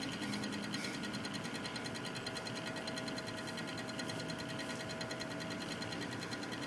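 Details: Cooler Master Real Power Pro 550W power supply: light ticking about twice a second runs steadily over its hum. Clicking noise, cause unknown.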